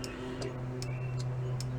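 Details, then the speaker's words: 1965 VW Beetle after fitting a new electronic flasher relay (Wolfsburg West): crisp evenly spaced ticks about 2.5 per second, steady like a grandfather clock. Normal turn signal flasher operation. "That's cool. It's almost like this. If you feel it, it feels like a grandfather clock."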